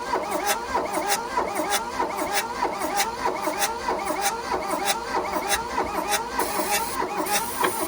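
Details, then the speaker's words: 1982 VW Rabbit diesel Caddy pickup that sat 20 years: steady cranking at about one and a half compression beats per second, briefly trying to fire but never starting. Owner suspects the injection timing is off and a compression issue, with compression pushing up through the intake. "oh it's trying to fire yeah put the timings off and frankly i'm not gonna mess with it enough to figure that out"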